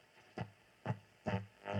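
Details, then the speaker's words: Nordmende Galaxy Mesa 9000 radio under restoration, on the AM medium and long wave bands: where a station should be, short harsh tonal bursts about twice a second instead; AM reception badly distorted. "Wherever I'm supposed to have a station, that's what I get. So there's definitely something wrong there."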